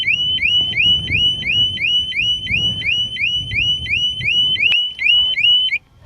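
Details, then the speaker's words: Harley-Davidson Smart Siren 2 on a 2020 Tri Glide with the main fuse pulled: tamper-alarm cycle, a loud rising electronic whoop about three per second over low rumble. "okay that was another 28 seconds now I was going to go put the fuse back let's there it goes again the third time"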